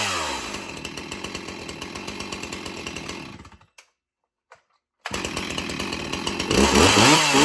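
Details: Stihl MS361 Farm Boss chainsaw with 20-inch bar: idles with an even popping beat, briefly cuts out, then restarts and revs cleanly to a high steady scream; runs healthy.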